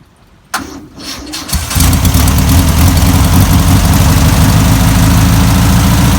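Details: 1962 VW Type 2 van/bus flat-four, sat over 40 years, now running off its own tank: short crank, a few uneven catches, then a strong steady idle that smooths out and holds; normal start and idle.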